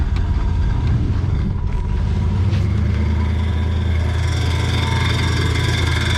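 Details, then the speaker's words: 1963 Ford Fairlane 500 with 260 V8, running: V8 rumble with faint light ticking in the background; the cooling fan is hitting the poorly positioned old fuel tank, which needs tying up better. "It was ticking that old gas tank right there. What was hitting? The fan was hitting it."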